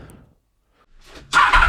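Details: 30-year-old Honda VFR 750 first start after replacing the rotten original exhaust with a used stainless steel one: quiet cranking, clean catch, even steady run with no knocks; sounds healthy, white smoke believed from copper grease burning off.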